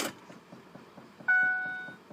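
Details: 2005 Ford F-150 that died on the road, intermittent no-crank/no-start, theft light flickering erratically, P1233; key on, engine compartment rapid loud ticking about six a second, mostly from the throttle body, as the PCM keeps resetting from fuel pump driver module backfeed.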